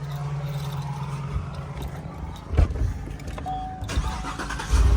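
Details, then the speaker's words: Cadillac Escalade V8 with newly installed motor: catches quickly and settles into a steady, even idle with no lifter tick or misfire; owner says it sounds good. Normal cold start and idle. "Ooh, that sounds good."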